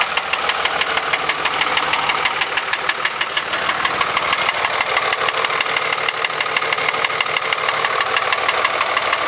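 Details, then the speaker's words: 2003 Dodge 5.9 Cummins diesel at steady idle: sharp, loud, even knock about three a second over diesel clatter; loose piston slapping bore suspected. "all right okay 2003 Dodge 5.9 comings making a loud knocking noise I'm going to take it in tomorrow"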